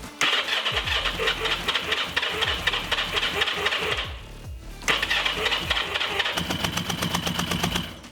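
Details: Motorcycle that wouldn't start, tested after swapping in a new spark plug: rapid starter cranking fires into a ragged run, drops out, cranks and catches again; cause unclear.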